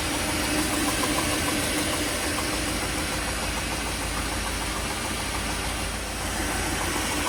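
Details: 1957 Mercury 368 cu in V8 with a sharp, regular knock of about three per second over the exhaust, worse when cold but still present at higher rpm when warm; source unknown.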